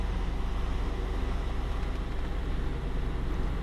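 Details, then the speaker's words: 2004 GMC Yukon after an EVAP system repair for code P0455 (large evaporative leak): steady low idle rumble with no miss, tick or hiss; the engine runs smoothly with no check engine light. "okay we in the truck we're going to just start it up make sure it's everything's working it's good no more chck engine"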